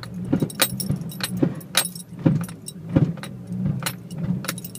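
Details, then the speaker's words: Toyota MR2 Turbo idling while backing up: repeated dull clunks and rattles about every half second; knock when reversing, owner suspects worn engine mounts and has ordered stiffer replacements. "that's exactly what i'm talking about backing up here that was the engine it falling down at my about that but"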